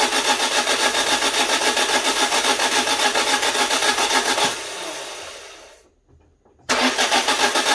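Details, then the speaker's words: Citroen Berlingo Multispace Mk1: starter spins evenly at about 3.5 beats a second, pauses, cranks again, never starts; it logs a crank position sensor error. It usually makes a worse pressure-release-like noise. Cause unknown. "now it usually makes a worse noise than that it's like a a release of pressure somewhere or something something's going on"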